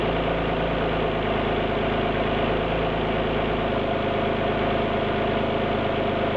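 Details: Alfa Romeo GT V6 at idle: a loud idle with an uneven, stumbling beat and a periodic shake rather than a smooth hum, a cylinder dropping out; misfire at idle.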